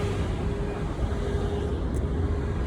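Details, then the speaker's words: 2015 Dodge Promaster 2500 found with a drained battery and no start, new battery fitted: constant full-speed radiator fan roar with a steady hum, no cycling, running on high even with the key out; pulling the T06 relay didn't stop it. "Notice that the fan would stay on, the cooling fan would stay on high speed. So the cooling fan would stay on high speed even with the key out of the ignition."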